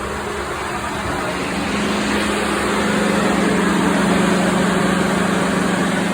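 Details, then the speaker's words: 2016 Ford F-150 5.0, 62,000 miles, A/C expansion valve troubleshooting: with A/C full cold, steady whooshing cooling fan roar swells over idling engine as fans run on high. "So I'm going to turn the AC on full blast cold, and you're going to hear the cooling fans kick on."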